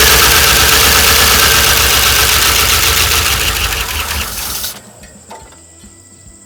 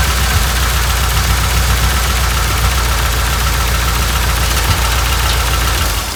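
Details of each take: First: 1988 Dodge Ram W150 4x4 with TBI fuel injection, first start after long storage without a battery, primed with a gas and oil mix. Starter churns for several seconds, pauses, cranks again without catching; owner expects an ECU learn cycle over several starts. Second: 1988 Dodge Ram W150 4x4 V8 with TBI injection, first run after long storage with the fuel gauge below empty. Loud, steady rumble with a faint rhythmic tapping on top; runs smoothly, noise normal for this engine, fuel pump working.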